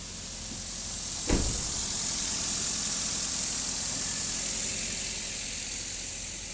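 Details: Daihatsu Xenia started in neutral with an OBD scanner connected to read live data: short crank catches quickly, then settles into a steady, even idle with no knocks or misses; normal start and idle.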